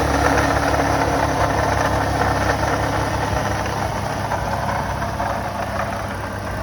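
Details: 2014 Ford Mustang 3.7 V6 (S197), about 170,000 miles, idling with an uneven knock about three per second and a rough grind from a pulley at the engine front; failing original water pump, replaced with the new-design pump.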